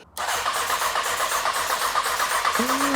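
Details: 2003 Honda CBR 954RR, wrecked, sitting outside 15 years: starter spins engine in steady quick chug, about four beats a second, but never catches; cranks but won't start.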